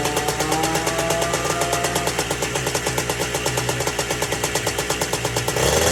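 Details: Two-stroke ATC three-wheeler, seized half an hour earlier and freed with plenty of top-end lubricant: crisp, fast ring-ding popping at a steady idle with a slight rev at the end. Running freely and healthy.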